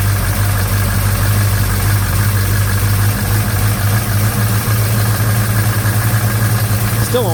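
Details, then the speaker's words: Chevy 307 V8 with Holley 4150 carb, 1956 Bel Air, first start: heavy, lumpy idle with fast, uneven diesel-like clatter; owner suspects valves lashed too tight or a lifter not pumped up. "sounds like it's like a diesel. What if I've got them lashed too tight?"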